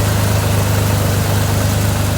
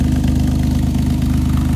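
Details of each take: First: 1983 Chevrolet Monte Carlo G-body off the road about 10 years, just started after a new starter: deep, steady low idle rumble with a regular beat, no knocks or misfires, running somewhat smoothly; owner notes a little blow-by; normal idle. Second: 1983 Chevrolet Monte Carlo G-body V8, off the road about 10 years, at idle: deep throbbing burble, loud and raspy through a glass pack muffler, so it sounds like a blown exhaust; slight antifreeze leak noted.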